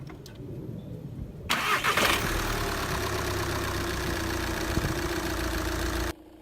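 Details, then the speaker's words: 2012 VW Golf MKVI TDI diesel started after the fuel pumps were primed without VCDS: the starter turns briefly, then it catches at once and settles into a steady, even idle; a healthy prompt start. "if everything looks good start it up just bump the key it should start right away"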